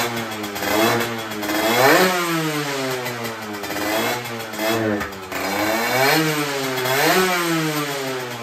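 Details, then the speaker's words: Derbi two-stroke after carburettor replacement and exhaust leak fix, new cylinder fitted: revs rise and fall cleanly through repeated blips with crisp buzz, no more rattling tin-can noise; now running properly. "maintenant que j'ai changé le carbu et qu'on a résolu la fuite à l'échappement on entend que la moto tourne beaucoup mieux elle fait beaucoup moins un bruit de casserole"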